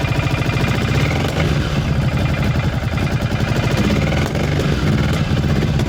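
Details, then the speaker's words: Cagiva 750 Elefant with a Ducati V-twin, which had run on one cylinder until a bad wiring connection was fixed: uneven, lumpy idle now firing on both cylinders, slightly rough at start from excess fuel but steady; normal running. "Does run on both cylinders again. A bit not very clean at start, but I had a lot of gas in the system, of course, from driving it a while with the one cylinder."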